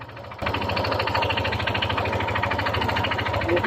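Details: Yamaha NMAX 155 scooter engine running steadily with a dull, uneven knock deep in the crankcase over the exhaust note from a damaged connecting rod.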